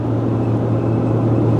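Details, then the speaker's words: Cargo van carrying 2500 lb at highway speed, 79°F: steady low hum over road and wind roar; owner suspects the load lowers the roof and changes wind angle so the roof AC unit hums. "But apparently if I get 2500 lb in the back of the van now, it lowers the roof, changes the angle of attack of the wind enough that my AC hums a little. I don't know if you can hear that humming away,"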